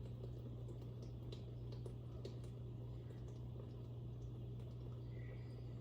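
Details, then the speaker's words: Dishwasher filling and running rinse-only after repair: even low rumble with water swishing, no rattle or grinding; earlier loud humming during wash was caused by a thin piece of plastic and glass found under the strainers. "there you have it folks operating as it should"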